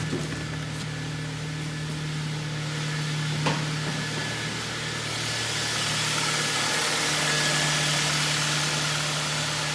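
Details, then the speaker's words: Kia Ceed 1.4 G4FA, 184,000 km, 7 years old, after engine rebuild (bored 0.5 mm oversize, fixing oil consumption and piston knock), heard from outside: steady, even, smooth idle with no knocking or ticking; normal idle. "работает ровненько не крала куются ничего"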